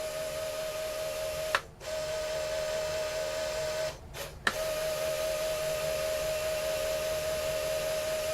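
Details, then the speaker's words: QIC tape cartridge with a replacement 6-inch Plastiband tension band on a round-trip test: a thin high squeal while the tape winds, pausing at reversal; owner suspects band tension is too tight or the band has irregularities. "starting to squeak it's got to be wearing that just the tension just has to be too tight and whatever you know"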